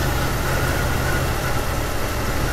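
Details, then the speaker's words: 1999 Jeep Cherokee that stalls intermittently, with an aftermarket crank sensor fitted by another shop, warm idle: uneven stumbling beat under a hiss, near stalling; scope shows an abnormal crank signal, so the faulty crankshaft position sensor causes misfires. "all right I don't know if you can hear this engine but it is literally about to shut off see you let me get around here it is just stumbling right now"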